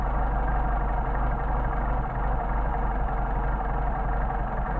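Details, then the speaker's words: Mercedes 190SL with rebuilt Solex carburetors on test, idle mixture screw adjusted by ear: steady low idle turns lumpy and uneven and the engine drops off as the mixture is leaned too far. "I'm going to do it by ear first and you should be able to hear the engine drop"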